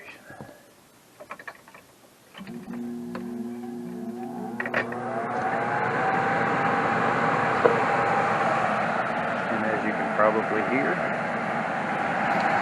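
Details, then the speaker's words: HVAC unit with failed control board, blower motor temporarily wired to get constant 240 V for cooling until a replacement board is fitted: after a click, smooth steady airy rush builds with no knocks or scraping, normal blower operation. "we have blower operation so I'm going pack this thing up recycle it let it run"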